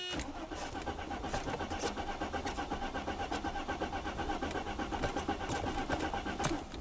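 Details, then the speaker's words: 1995 Mercedes E320 wagon, 3.2L inline-six, 285k miles, waste-spark ignition: steady rhythmic cranking at about 2.5 beats per second that never fires; crank no start with no spark and a fuel-wet plug, ignition coil 1 waveform bad. "there's definitely no ignition all right so i got spark plug number two out it is wet with gas we indeed we have no spark"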